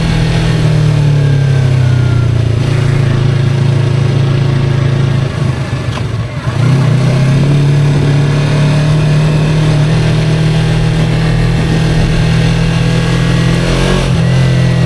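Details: 2023 Yamaha R3 while riding: engine note rises and falls with a faint thin whine above it that follows revs; rider unsure what it is or whether harmful; source unknown.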